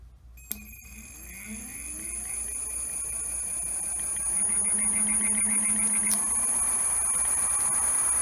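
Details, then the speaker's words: Homemade e-bike with hoverboard hub motor and programmable sine-wave controller: faint electric whine climbs in pitch as the motor spins up, then holds steady with a light buzz, normal for sine-wave inverters. "most of the time you can hear a little whining from this that's that is actually kind of normal for a lot of sine wave inverters to do so to make some noise like that"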